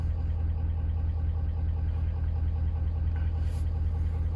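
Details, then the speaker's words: 2019 Ford F550 6.7 Powerstroke diesel, knocking complaint, cylinder 5 contribution/balance code: regular knock about once a second at idle unchanged with injectors disabled; mechanical engine knock, not fuel knock. "You can disable that and disable that, and the knocking's still the same."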